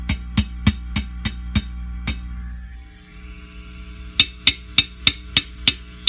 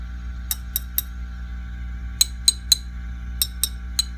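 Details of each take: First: Fender Custom Shop '57 Twin tube amp, harsh when overdriven: light taps on a preamp tube come through as sharp ringing clanks over steady hum, microphonic preamp tube; two preamp tubes found bad. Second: Fender Custom Shop '57 Twin tube amp, power tubes tapped with amp on and controls full up: sharp glassy taps over faint steady hum, no ringing or rattle from speaker; power tubes normal, not microphonic.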